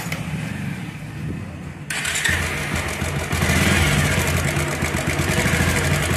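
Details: Motorcycle starts after a couple of seconds and settles to idle with a light, quick ticking over the exhaust beat; owner reports a head (top-end) noise.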